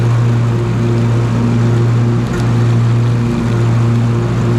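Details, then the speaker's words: Husqvarna TS354XD riding mower with 54-inch ClearCut deck, test run after deck belt replacement, tension reset and grease fittings serviced: steady constant-speed engine drone, no knocks, slipping or squeal; normal running. "Let's fire it up and give it a test."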